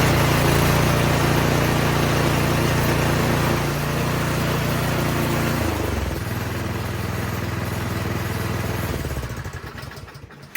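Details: Troy-Bilt 208cc snowblower after carb cleaning of a dirty pilot jet that caused surging idle and dieseling: steady, even putter holding speed without hunting, then settles lower before shutting off; idle now smooth, no surging.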